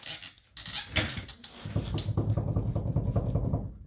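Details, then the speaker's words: Dana 60 front axle on a salt-belt ex-plow truck with a V10, wheel spun off the ground: a gritty, rhythmic rumble pulsing with each turn. The noise also varies when swerving on the road; bad wheel bearing, to be replaced. "I don't know if you guys can hear that, but we definitely got a bad wheel bearing on this side."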